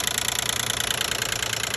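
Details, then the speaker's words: 2012 Nissan Maxima 3.5 L engine at idle, cover taken off, noise less after removal: fast, even, high-pitched buzzing rattle at about twenty beats a second; owner assumes the intake bracket. "it seem like something like I'm assuming like intake inake uh Sprat making a noise come from"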